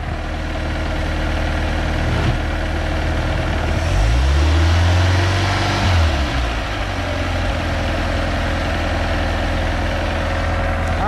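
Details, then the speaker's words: MerCruiser 3.0 L 140 boat engine after fitting a new Sierra carburetor and fine-tuning: steady idle, quick throttle blip rises and falls cleanly, then settles back evenly, smoothed out; healthy throttle response. "that sounds a little bit better right yeah now she's smoothed out give it a little gas"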